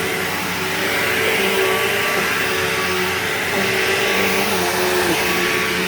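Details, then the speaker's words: Bissell PowerGlide Platinum 3545-2 upright vacuum cleaning a living room: steady vacuum roar with a faint wavering "wah" whine over the normal motor sound, most noticeable as it winds down; motor whine, cause unknown. "Yeah, that weird, like, whiny, wordy sound that it makes is really bizarre. I don't know why it does that."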